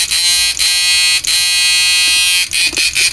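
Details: Repaired 9999000W 14T black inverter (new version no.3), 4.7 protect resistor and sound booster fitted, blower still missing: loud steady high-pitched buzz with dense even tones and brief dips; output strong and stable.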